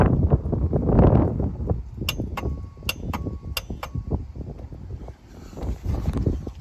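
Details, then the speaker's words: 1991 Ford F-350 IDI diesel with new Motorcraft glow plugs on a dash push-button; phone under the hood, six sharp light clicks over about two seconds as the glow plug relay cycles normally. "Hopefully you're able to hear click click click."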